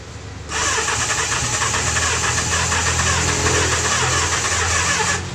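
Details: Kawasaki GPz 400: starter spins steadily for about five seconds without the engine firing, long hard-start cranking caused by an overflowing carburettor, later solved.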